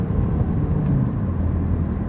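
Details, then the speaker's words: Ford Escape with 127,000 miles, after erasing codes, on a hard-throttle test drive: a deep, steady, smooth pull with no stumbles, and the misfire does not return. "let's really give it a test not a race car but here we go [Music] sounds good no misfires"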